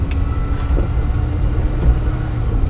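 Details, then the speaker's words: 1959 Mini 850 with original few-bladed cooling fan, driving on country roads: steady revvy whirring over the engine note, normal for the original fan (later many-bladed fans were much quieter); normal cooling fan noise. "And because they did make a revvy noise, you'll hear the revvy noise, because it's got the fan."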